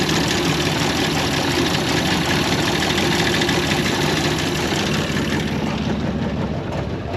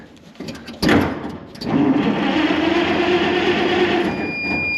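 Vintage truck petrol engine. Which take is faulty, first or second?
first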